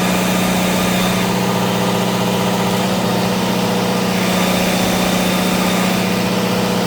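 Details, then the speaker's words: Onan DJC diesel generator, started stone cold after sitting a month or two, on a load bank switched from several hundred watts to about 11 kW: loud steady drone, even beat around four per second, no stumbling or hunting, no smoke; normal load response. "It's playing around with the load bank controls, jazzing it between several hundred watts, all the way up to like about close to 11 or so kilowatts."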